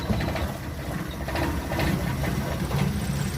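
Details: 2005 Mitsubishi T120SS that suddenly stalled and would not start, after ignition coil replacement: low, even idle with a soft steady patter and no misses or stumbles; engine firing cleanly at idle.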